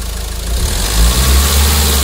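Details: Mahindra XUV 500 diesel after engine overhaul for an overheating-related tak-tak knock caused by coolant leakage: steady, even low idle after a brief rise, no knocking; engine sounds normal.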